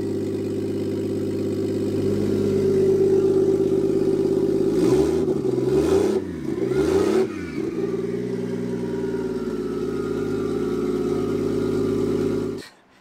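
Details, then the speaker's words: Toyota Aristo at first start on a Garrett G35-900 single turbo, coolant not yet topped off, with only about 6 inches of exhaust off the turbo: raw blaring drone swelling with each blip, settling to a steady rumble; very loud. "You can hear it, it's really loud. It doesn't have but maybe 6 inches of exhaust on it off the turbo."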